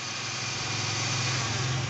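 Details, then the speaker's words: Toyota Camry after balancer shaft replacement: smooth, even idle held above 1000 rpm because the idle has not been reset yet, with no knock or rattle. Balancer noise gone; a possible starter or automatic-transmission flywheel noise remains to be checked. "Nah, ini kita belum reset RPM ya, jadi ini RPM-nya masih di atas 1000, jadi suaranya lebih kenceng ya RPM-nya ya."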